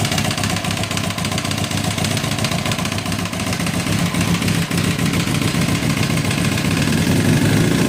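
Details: 2006 Kawasaki ZX10, 45k miles, no compression in cylinder 1, smashed spark plug, no smoke or metal in oil: rough idle with sharp, fairly regular knocks three to four per second, louder with revs; suspected rod knock, unconfirmed.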